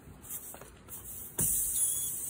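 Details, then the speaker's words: 1993 Camaro Z28 tire, wheel still on the car, screw removed and hole drilled for a plug: sharp, high, steady hiss of air escaping through the puncture; tire air leak. "oh you guys can hear the air leak out"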